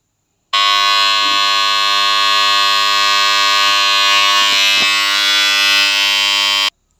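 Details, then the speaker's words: BCH three-phase star-delta starter panel for submersible pump, complaint of excessive noise: loud harsh steady mains buzz from contactor. "ಏನು trouble ಅಂದರೆ ಜಾಸ್ತಿ sound ಬರ್ತಾ ಇದೆ. ಆ sound ಯಾಕೆ ಇಷ್ಟೊಂದು ಬರುತ್ತೆ ಅಂದ್ಬಿಟ್ಟು ನೋಡೋಣ ಬನ್ನಿ."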